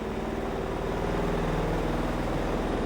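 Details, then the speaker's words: Godrej 7 kg semi-automatic washing machine spin dryer after buffer replacement and reassembly, running heavily loaded with clothes: smooth steady low hum with soft even pulse, noise now normal. "इसकी जो आवाज़ है एकदम normal हो गई है"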